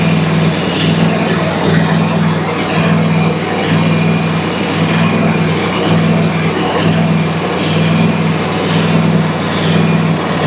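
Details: Country Clipper Challenger 52-inch zero-turn mower, customer no-crank complaint, engine was hard to turn, about half a quart low on oil, jump-assisted start: steady low hum with even pulse, no knocking or misses; engine runs normally.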